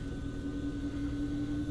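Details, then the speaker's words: Lennox furnace in fan mode after its failed variable-speed ECM blower motor was replaced: a smooth, steady airflow rush with an even low hum and no rattles or surging. Normal blower operation after repair. "that's how it's supposed to sound"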